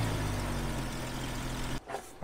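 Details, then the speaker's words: Jeep Cherokee XJ right after installing a cowl intake, cold start: steady low idle drone with a soft airy sucking sound only at startup, gone once idle settles (owner expects it may also be heard pulling uphill); normal intake noise. "um i gotta say when i did start it you do hear a sucking sound but it's only you know for the startup and then once it idles down you don't hear it anymore"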